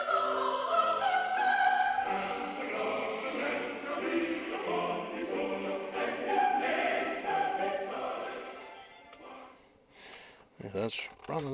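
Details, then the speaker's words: Left channel of an old radio 8-track player (Murex) after replacing all 40-year-old dried-out electrolytic capacitors in the power amplifier: opera and choir music plays cleanly with no trace of hum; previously a serious hum. "there isn't a trace of a hum though"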